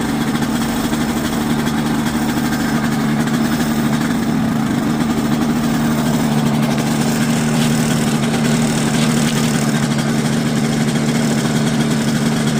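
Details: Quicksilver ultralight two-stroke, warming up before a static ground run: steady low buzzing idle that holds speed without surging or misfires.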